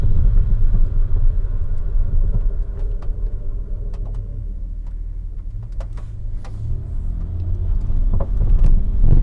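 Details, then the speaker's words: 2010 Dodge Grand Caravan on a road test with the microphone in the rear cargo area; sharp irregular clunks from the right rear over bumps above steady road rumble, pointing to a loose suspension part. "It's definitely back here. There it is. Clunk. It's interesting."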